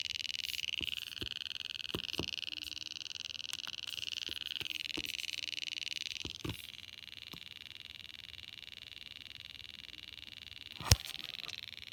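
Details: GoPro Hero 4 camera making faint, irregular light ticks over a thin high electronic whine while charging. The ticking stopped only when the battery was removed; cause unknown.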